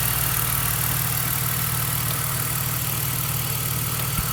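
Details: BMW petrol engine idling evenly with a steady low pulse and no knocking, after a knock caused by loose spark plugs was fixed by fitting new plugs.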